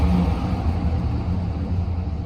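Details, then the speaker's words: 2004 GMC Sierra 2500HD, 6.0 LQ4 V8, 4wd, wrecked auction truck listed as non-running: revved at operating temperature with good oil pressure, a deep, even rumble responding to throttle with no knocks, ticks or misses. The engine is healthy. "We got a good solid 6 liter here. It's now at operating temperature. Still has good oil pressure. Still responds to throttle."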